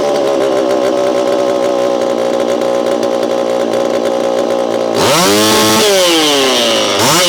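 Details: Repaired Homelite Super EZ chainsaw, boxed about two years after transit damage, on its first test run after reassembly. A steady, high idle buzz, then two quick throttle blips that rise and fall instantly and cleanly, "a lot of zing": normal running with crisp throttle response.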